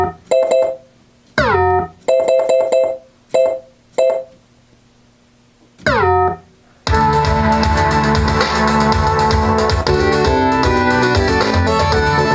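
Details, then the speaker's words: 1992 Williams Whitewater pinball sound board: clean music and sampled effects in bursts, then a full tune; gritty low-fidelity 8-bit tone but no dropouts, working normally. "believe it or not that's what the sample sounds sound like are supposed to sound like they're 8-bit they're probably using a real low sample rate because there's no compression on these"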